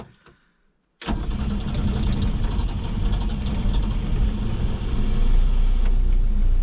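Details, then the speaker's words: 1967 Volvo 122S Amazon cold start with clutch in and choke about halfway out, going into neutral: catches immediately and settles into a steady, slightly rising fast idle; clean, healthy start. "got the choke out about halfway yeah it seems to be all right"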